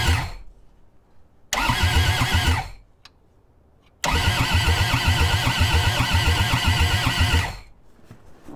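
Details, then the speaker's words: Old Kubota diesel skid steer, injectors just reinstalled after testing, all four lines cracked to prime, cold snowy day: two bursts of steady cranking at about four beats a second, never catches; ether then tried, cranking slows, and owner suspects the glow plugs. "all right now it's turning over too slow all right these kubotas are really sensitive they like their glow plugs"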